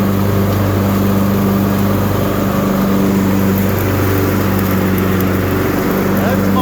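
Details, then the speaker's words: Newly bought Husqvarna riding tractor test-running after deck repair and axle seal replacement: steady, even single-cylinder drone at constant speed under mowing load, no misses or knocks; pedal drive smooth, normal running. "The pedal drive is nice and smooth."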